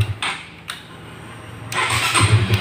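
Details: Honda CB150R (CB150FI) electric start after cleaning oily dirt deposits off the neutral switch contact ball; new battery, relay, starter motor and button were fine. A brief crank, then the single catches quickly and settles into an even thumping idle; starter fault fixed.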